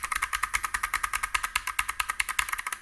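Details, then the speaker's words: Motospeed CK61 keyboard with Kailh BOX White switches, standard keycaps without o-rings: fast typing with hollow plastic clacks, plastic rattling against keycap and metal plate; o-rings needed. "Слышно только, как пластик дребезжит и бьется об пластик самой клавиши, самого свеча, и как пластик лупит об металлическую подложку. То есть, обязательно нужно вставлять оринги, поймите, обязательно, иначе это будет, это бред."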